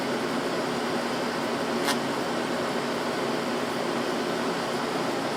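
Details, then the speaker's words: Window AC unit, leaked-out R-22 recharged with R-152a: steady, even hum from compressor and fan with no knocks, rattles or squeals; evaporator coil cold, condenser hot; compressor running normally. "so and as you can hear i mean the compressor sounds just fine coil's hot back here"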